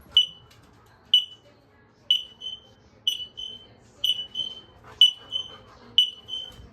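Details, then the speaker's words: X-Sense interconnected smoke alarms, test button held: sharp high chirps about once a second, with fainter beeps from the other linked units joining in; normal test response. "you just hold the test button and it'll beep in here and then it'll set the other ones off and be just short beeps like this"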